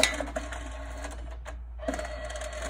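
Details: Photo printer during setup after loading paper spindles and closing the lid; short motor whirs and light clicks in quick steps with a brief pause as it threads paper normally.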